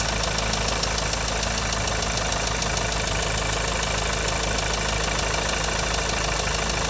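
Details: 2.0 TSI at idle: an even idle with a fast, regular ticking running through it, about three ticks a second; an abnormal noise, cause unclear.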